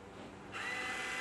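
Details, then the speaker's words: Pro-OX 5900-BT iron filter control valve at startup, regeneration started from the app with water still on bypass: quiet hiss, then small motor whirs with steady high tone as the valve drives into backwash; normal. "And you can hear the valve go into the backwash."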